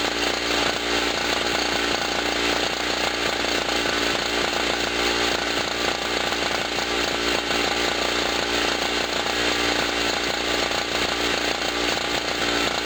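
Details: Generator after its first cold start of 2016, having sat about a year, loaded with a 40 W bulb and a noisy air pump: a buzzy two-stroke holds a steady, raspy note with no sag or misfire audible over the compressor's clatter. Normal running under load.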